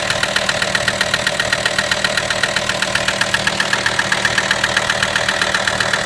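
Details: VW T5 with AXD diesel engine at idle: sharp, very even knock about four times a second, steady throughout; source of knock not yet found.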